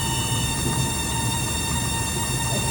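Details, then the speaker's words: Water-cooled electric fuel pump on a Volvo Penta/PCM/Crusader EFI marine engine: steady high-pitched squeal over a low hum, getting worse, because its 5/16" raw-water cooling line is blocked and the pump overheats; often misdiagnosed as a bad pump. "You hear this thing right here, it's squealing. And your first inkling is that the fuel pump is bad."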